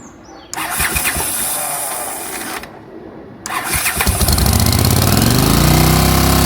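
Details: 1981 Honda CX500 first start after new exhaust pipes fitted, with a temporary home-made bracket: two bursts of starter cranking, then the engine catches and revs unevenly with a loud exhaust note; something sounds off, cause unclear.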